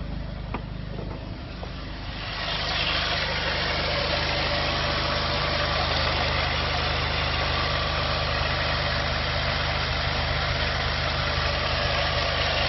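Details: VW 1.9T diesel first proper run without misfire: even, steady clatter settling into a smooth idle, regular firing with no stumble or miss; engine running healthy.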